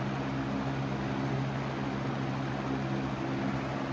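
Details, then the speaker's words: Lasko PSC capacitor box fan motor with a cheaper, flimsier blade set: steady even low hum with smooth rush of air, no rattle or wobble; healthy, more powerful than the shaded-pole McMillan motor with the same blades. "Well, all right. Now, we're testing the PSC motor. Look at that. It's more powerful."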